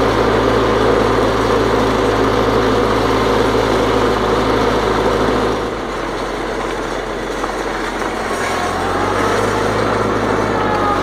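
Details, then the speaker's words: 1955 Farmall Cub, after the transmission oil change: even, steady engine beat with no shudder; the earlier vibration from the torque tube is gone; sounds normal. "so it sounds like I got the transmission sound the vibration gone uh taking care of it's gone now took it out and ran a snot out of it"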